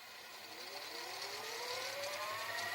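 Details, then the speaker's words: Grandin 2-head VCR, model 97, after cleaning the mode switch and mechanism, in fast forward: a smooth whir climbing steadily in pitch as the tape spins up; fast forward runs cleanly and evenly. "parfait on va faire un phase forward là il passe en mode avance rapide"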